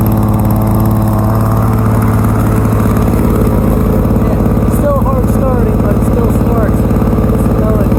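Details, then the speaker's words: 1987 Lawn-Boy 8073B two-stroke mower, after a year in storage with new capstan rollers: after a hard start it holds a steady buzzing run at one speed with no hunting, surging or misses; runs fine. "It's hard starting, but seems to run fine."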